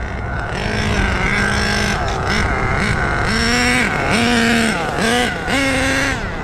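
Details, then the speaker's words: HPI Savage 21 with rebuilt Dynamite 28 nitro engine on a road pass: high buzz climbs, drops sharply at the upshift, then pulls again cleanly; brakes need work; normal two-speed shift. "Two speed, baby. That two speed sounded great. The important thing is that it shifts."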